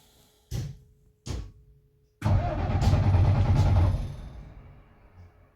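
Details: Alexander Dennis Enviro 300 bus: two brief starter bursts, then steady cranking churn under two seconds that never catches, with a whine; cranks but won't start.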